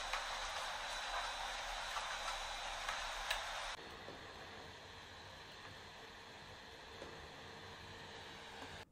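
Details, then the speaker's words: Steam Deck cooling fan: the old noisy Delta fan rushes loudly with a whine, then the new replacement fan settles into a much softer, even hiss with no whine. "but I can hear the whine in the before and not in the after. And I can tell you in person here, it is a huge difference having this new fan"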